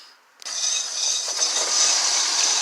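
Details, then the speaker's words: 2006 Prius after front wheel bearing replacement: smooth, even high hiss from spinning wheel with light brake-rotor rub and no growl or rumble; new bearing sounds healthy. "got everything installed in reverse order didn't take no more than like ten minutes so I'm gonna start up but it will rotate and you can hear the difference in the tone of that wheel bearing"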